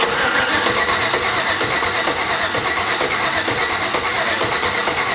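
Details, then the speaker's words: 1987 Chevy S10 with LS engine swap, first start attempt with fresh oil; steady starter cranking about three beats a second with no firing, engine turns over but never catches; missing spark suspected. "Feels like we're missing spark."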